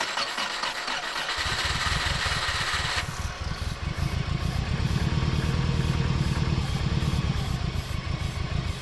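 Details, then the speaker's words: Late-1990s Subaru WRX, sitting for years, with a new battery and fresh petrol: the starter churns steadily at about four beats a second but the engine never fires. No fuel reaches the front while priming, so a dead fuel pump is suspected. "no fuel came out of the fuel line well priming it so we're not getting fuel to the front so that means fuel pump's probably dead"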